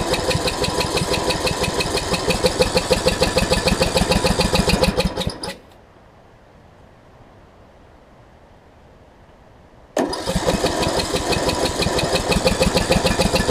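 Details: John Deere D110 after an engine rebuild, mock-up test with flywheel orientation corrected: even cranking near 200 strokes a minute, a pause, more cranking, no firing; low compression from a leaking head gasket, head to come off again.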